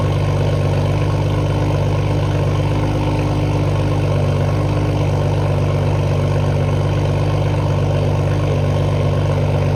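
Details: Toyota Supra idling cold just after new downpipe install and cold start: deep steady exhaust drone, even slightly raised idle, no ticks or knocks; idle sounds similar to before the downpipe.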